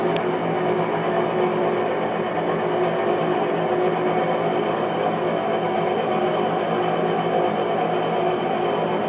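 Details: New Whirlpool Cabrio washer on spin cycle: loud, steady whirring rumble, much heavier than a new washer should make; cause unclear, later fixed under warranty.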